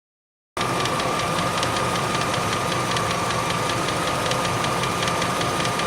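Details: 1998 Range Rover P38 4.6 HSE: steady light ticking about three a second over an even idle; owner hopes it's a worn cam with a bouncing tappet, unconfirmed.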